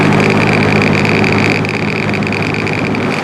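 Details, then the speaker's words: Old rusty box fan, unrestored, running on high: a steady hum with a buzzing rattle and wobble. There is vibration and bearing noise; the owner hopes it is mostly a thrust washer issue. "That doesn't sound super healthy. Hopefully that's more thrust washers than anything, but we'll see."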